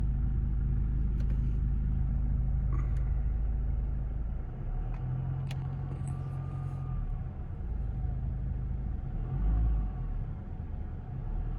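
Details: Kia Ceed 1.6 CRDi diesel, 2009, factory stock with intact piping: rather loud turbo whine between 1000 and 2000 rpm, rising and falling with revs, still present above 2000 but masked by engine noise; little or no power loss.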